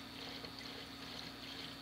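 Steady rushing, gurgling flow of water pulling down through the siphon without sputtering or stalling; the siphon has kicked in and is draining normally.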